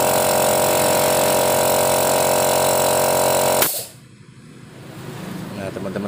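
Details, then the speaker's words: Used air compressor performance check with the intake filter hole covered by hand, suction strong, so performance is still good; strong, even, fast pumping drone at steady pitch until switched off. Normal running. "ketika lubang filternya ini saya tutup jadi terasa di tangan kita itu sedotannya kuat Nah itu tandanya performanya masih bagus"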